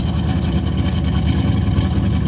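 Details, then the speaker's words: '65 AMC Ambassador running off the tank after revival, no muffler, dying once and restarted on a little choke: loud, raw low rumble at idle with choppy uneven puffs and pops; revs up well, open exhaust. "Revs up pretty good now. Listen to that. I love it. Needs a muffler, but it does sound pretty cool though."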